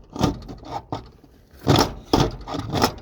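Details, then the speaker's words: Used old Dodge 4x4 pickup, door swung during inspection: irregular dry metallic scraping and creaking from a worn door hinge; the door is sagging and the hinge needs replacing. "this one you can see look at that so that's no good so this door hinge needs to be replaced so you can hear that listen"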